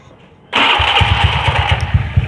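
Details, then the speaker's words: Honda Beat carburetor scooter after repair, idling smooth and even after startup with no rough scraping or rattle; earlier rough noise was traced to a damaged magneto cooling fan, fixed with ring spacers. "kan ini suaranya enggak kayak tadi kan nggak angkat-angkat banget kalau dengan kasar banget kalau sekarang kan halus lah ya"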